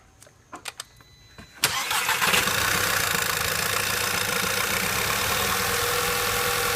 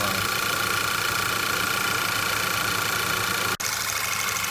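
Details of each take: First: 2008 VW/Audi 2.0T TSI, first start after intake-port carbon cleaning. A few clicks, then the engine catches abruptly into a slightly uneven idle while air is pushed out of the empty fuel rail. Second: 2008 VW/Audi 2.0T TSI after intake-port carbon cleaning, once air has been pushed out of the fuel rail. It now idles evenly under a steady hiss and whine with one brief dropout, running smooth with no misses.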